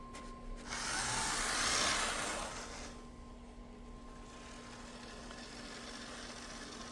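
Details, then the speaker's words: Bachmann GE U36B model locomotive after replacing cracked gears with Life-Like parts: motor whirs with a steady even hum, no clicking or popping from the gears. "you can see just how much smoother it runs it needs a wheel cleaning but other than that it works really well"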